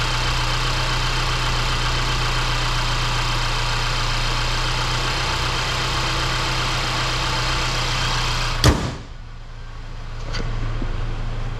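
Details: 2018 Mercedes C300 that lost fuel mileage, after replacing all spark plugs at the 50k service (anti-seize, dielectric grease): steady, even idle with smooth low drone, no stumble or misfire before cutting out; running cleanly.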